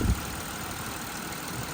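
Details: 2008 Buick Lucerne 3.8 GM V6 after replacing the faulty ignition coil that caused cylinder 1 and 4 misfires: steady, even idle with a low hum, no stumble, misfire counts at zero.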